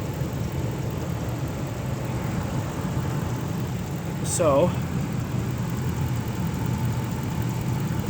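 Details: 2006 Ram 1500 4x4, 5.7L Hemi V8, warm idle after a Gates water pump replacement: steady, even low rumble with no misses, surging or gurgling, apart from one brief chirp. Sounds healthy; thermostat cycling 190–208 °F, upper radiator hose warm, no air bubbles.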